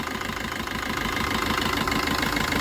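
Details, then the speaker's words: Maruti Suzuki Ciaz diesel after timing chain replacement, freshly refilled with oil and with diesel loaded into the filter: even, smooth idle, without the earlier jingling rattle from the loose timing chain and broken guide. "നല്ല smooth sound ആയിട്ടുണ്ട് കേട്ടോ."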